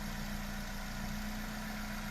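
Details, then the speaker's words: Engine just rebuilt after oil burning and knocking from broken, gapped piston rings, fitted with special improved rings instead of overhaul: smooth even idle, steady low hum, no knocking or tapping; knock and oil burning fixed, normal idle. "发动机完美启动，一起来听一下声音。发动机敲缸异响的声音已经没有了，烧机油的问题我们也给车主大哥解决了。"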